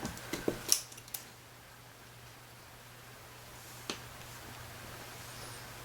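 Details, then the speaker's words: Andis SMC 5-speed clipper, reassembled after repair, button pad over the switch: a few crisp light plastic clicks, showing the rubber pad and switch aren't pinched; normal switch button clicks. "You want to make sure this is, see how you can hear them click? That's good. If they're not clicking, that means you pinched part of this rubber piece or the switch."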